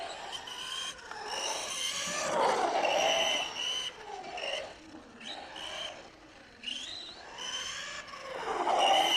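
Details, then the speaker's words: Kyosho Mad Van RC car, converted to brushless, eighth battery pack, in the dirt: loud howl rising and falling with each burst of speed; the center driveshaft is screaming. "on a vraiment le cardan centrale qui hurle la mort"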